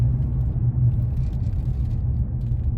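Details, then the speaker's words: 2015 Nissan Frontier driving after both wheel bearings were replaced with new Autoround hub assemblies: only a steady low road rumble, no hum or growl building with speed. Quiet, healthy wheel bearings. "see if I notice any noises this road I'm fixing going it's fairly smooth there not a lot of traffic out not like it was earlier so far so good I don't hear anything"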